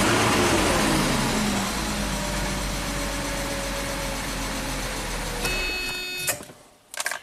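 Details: 1995 Mercedes E320 wagon, after a fresh oil change: catches at once and settles into an even, steady idle with no misses, knocks or stumbles before switching off; healthy start.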